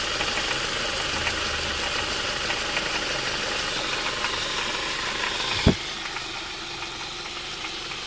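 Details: 2002 Ford Mondeo Mk3, Duratec HE petrol, automatic, idling with light uneven intermittent rattle from the pulley end, about four taps a second, more prominent when hot; exhaust seems not the cause.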